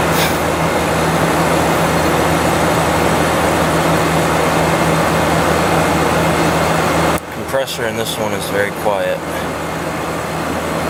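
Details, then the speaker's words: 2014 GE 8100 BTU window air conditioner with Gree compressor, cleaned, startup: smooth steady low hum with no knocking or rattling, gets a little louder as it runs; normal compressor running. "it gets a little louder as it runs over time but it's very smooth"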